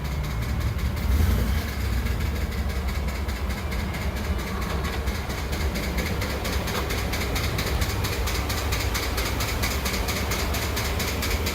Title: Ford F150 knocking noise 5.0l